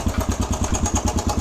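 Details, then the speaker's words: Suzuki DRZ125 single at idle, after the cam chain tensioner reset: sharp light tick on every firing pulse, about ten a second, seemingly from the top end; owner suspects valves or cam chain; the tensioner adjustment made it much quieter. "so you can hear i think it's the valves or the uh cam chain"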